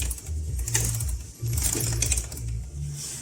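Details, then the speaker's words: Honda CB400 on a rear stand, rear wheel turned slowly; light ticking clicks come in uneven bunches from an unevenly stretched drive chain, tight in one spot and slack in another; also heard while riding; chain and sprockets to be replaced. "это у нас неравномерный износ цепи как многие говорят с этим можно ездить но мне не нравится что при езде Вы когда двигаетесь идут щелчки такие особенно слышно в каких-нибудь тоннелях или Где отбойники рядом есть"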